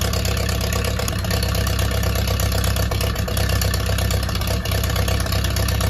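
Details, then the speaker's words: Ferguson T20 barn-find tractor, low steady petrol idle with an even beat, no knocks or misses; normal idle. "great the pump is working so it's time to close this up again"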